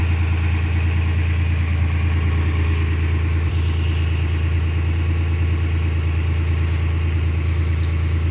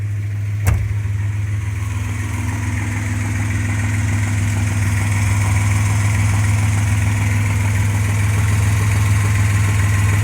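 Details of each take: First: 1995 Suzuki Escudo, H20A engine, cold idle: steady, low idle with an even pulse and no tapping or knocking; owner says the knock appears only once warm, not cold; normal cold idle. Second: 1995 Suzuki Escudo, H20A engine, warm idle: steady low drone with faint, fairly even knock about three per second; no knock cold, appears when hot, worsens with revs, owner wonders about bearings, cause unconfirmed.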